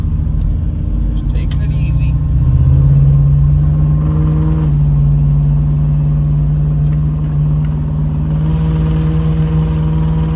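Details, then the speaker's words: 1979 Chevrolet Caprice on its highway test drive: steady low drone over the engine and road noise, only on barely-applied light throttle, gone when lifting off; owner suspects the exhaust, not confirmed. "I don't know it's only when you're barely on the so that's the sound I'm talking about goes away if you let off the gas I still really kind of think it's the exhaust though"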